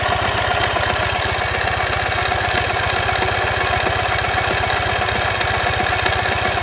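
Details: 2015 Ural Ranger at idle: a quick, steady knocking at about two and a half beats per second, caused by a collapsed front crankshaft main bearing.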